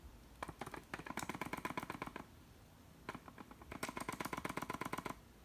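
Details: MB-D18 battery grip shaken: two bursts of quick, light clicking, a few per second, from something loose rattling inside. Internal rattle, cause not confirmed.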